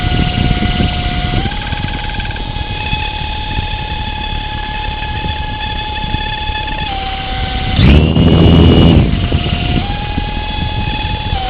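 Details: Litehawk Pro RC helicopter: the motor driving the top (A) rotor makes a steady high-pitched whine that steps up, cuts out and returns; it lacks power when yawing left, so the helicopter spins clockwise instead of lifting off.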